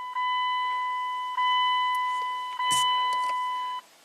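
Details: 2000 Dodge Dakota V8 with a dead cluster and NO BUS message, after a ground repair and with the parking brake switch disconnected: three clean, steady chime tones about 1.25 seconds apart at key-on; the cluster powers up correctly.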